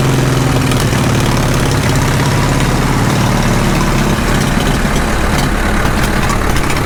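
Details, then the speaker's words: Caterpillar D2 diesel, first start after full pony motor and diesel engine rebuilds: slow, even low idle with a steady low thump and no knocks or misses; a normal, healthy low idle. "that sounds good for a low idle if i kept it about attack all right pretty happy with it all in all"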